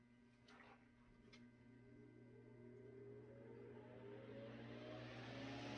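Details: 100-plus-year-old restored Century S-3 Model 15 desk fan starting on high speed, straight wall power about 123 volts: steady low hum with smoothly climbing tone, no scraping or ticking; normal running.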